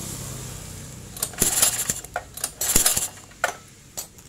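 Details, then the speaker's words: 4-stroke portable generator engine after intake/exhaust valve clearance adjustment (about 0.20-0.25 mm) and TDC setting: two quick rattly recoil pulls, each ending in a sharp pop, show good compression and correct settings. "letupan. Itu berarti kompresi sudah ada dan pengaturan sudah dipastikan tepat."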